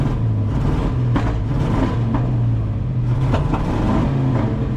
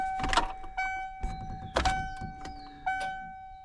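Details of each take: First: 1996 Ford F350 dually, 460 big block, sat for years, revved after fuel filter replacement: rough revving with irregular pops and crackles through the rise and fall, more popping than usual; probably not just a fuel filter issue, fuel pump next. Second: 1996 Ford F350 dually with a big-block 460, sitting for years, about 3 gallons of fuel, switched from the rear to the front tank: after the key click a steady high electric hum. The front pump primes normally; a rear-tank problem is suspected.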